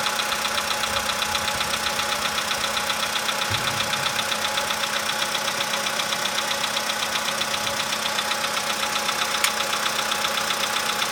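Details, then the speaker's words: 2015 VW Polo sedan just started cold, engine +5°C, outside −2.5°C: crisp even tick nearly four per second over steady idle; owner suspects cold valve or hydraulic lifter, unconfirmed. "Ну нет, что-то есть еще. Но оно все меньше такое. Это холодный клапан. Ну не знаю. Гидрокомпенсатор."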